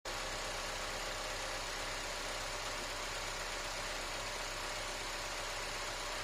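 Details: Car idling in neutral with a light, loose rattle over a steady engine hum, also noisy when driving on throttle; source of the rattle not pinned down.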